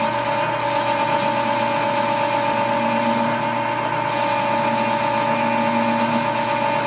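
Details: Lathe with dual belt drive through the gearbox, roughing a spring perch sleeve: steady motor drone with a faint rubbing hiss rising when the tool bites; worn drive belts rubbing under cutting load, not tool chatter; belts need repair.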